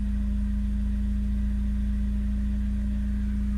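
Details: Megasquirt-tuned engine after fixing an exhaust leak near the O2 sensor, fully warmed up: steady, even idle with a constant low drone and no hunting or dips; holding idle smoothly.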